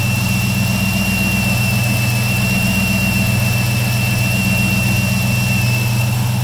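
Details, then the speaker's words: Chrysler 300C at idle after fitting a one-inch-smaller belt (81.2 in) and a big-three ground and power wire upgrade on an aftermarket alternator: a steady high whistle near 2.7 kHz persists over the smooth idle, voltage reading 14. "yeah it's still whistling even with a smaller Bell"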